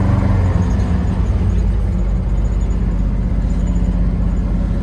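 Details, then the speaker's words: 1975 International Harvester 150 pickup on its first drive in 14 years, old rotten fuel smell, clutch feeling good: steady, even low engine drone under road noise while cruising, no knocks or misses; engine running healthy. "we've got that clutch that feels good engine sounds good"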